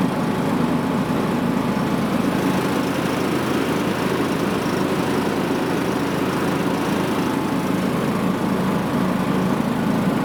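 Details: John Deere riding mower test-run right after deck reassembly with a new GX20072 deck belt and idler pulleys; the single-cylinder engine holds a steady, even drone with no belt or pulley squeal, slap or grinding. Normal running.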